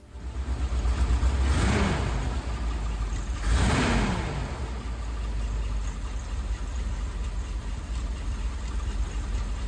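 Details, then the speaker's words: 1979 Ford Bronco 400 cubic inch V8, cold start before block (head gasket) test; deep rumble with two quick throttle blips, then steady raised idle while automatic choke holds it up; normal cold-start fast idle. "takes a while before that automatic choke kicks off oh yeah"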